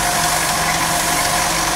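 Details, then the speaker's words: Geely Okavango at idle, in for a clutch and dual mass flywheel job: loose metallic, can-like rattle as if gears are loose inside; worn dual mass flywheel rattle. "Sir, kagalkal. Yung ano, parang maluwang yung mga gear niya sa loob."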